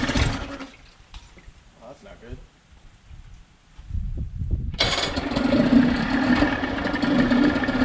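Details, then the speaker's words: Long-sitting saltwater outboard, which the seller said ran but didn't pee water (thermostat, impeller reportedly worked on): after a quiet pull it runs loud, uneven and harsh; head gasket found broken, needs a new head. "good getting out of here the gasket is broken I know he mentioned he was trying to check the thermostat but you can see needs a new head"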